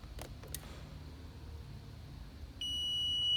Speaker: you hear that noise that's indicating that it's a close circuit the moment they come off from one another it doesn't make that sound anymore